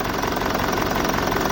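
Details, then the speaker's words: BMW E65 4.4D V8 common-rail diesel, 242 kW, EDC16C31 dual ECUs: uneven, lumpy idle with irregular thumping, running on four of eight cylinders; injectors were fine, fixed by programming and synchronising both ECUs together. "so four of them is not working at all so that's why you have a feeling then you have a four single four-cylinder engine in a place of eighth one because everything is if it's fine it have to be just smooth and perfect"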